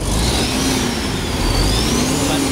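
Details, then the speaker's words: MAN diesel that would not start for a long time, now running after the faulty solenoid valve was replaced; steady, even diesel clatter at idle with a constant low rumble, no misses or knocks, though a small leak is noted: normal running. "na rin ah may liid oh pero umandar na umandar."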